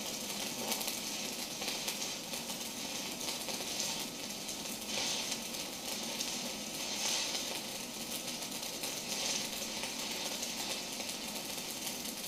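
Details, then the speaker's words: New SIP inverter multi-process welder, stick welding on DC electrode negative with short leads: steady, even crackling sizzle with occasional small pops, no sputtering; smooth arc with slag lifting well. "very nice apart from my crappy AR welding um but uh very pleased to see the slag is starting to lift up which uh is always a good sign"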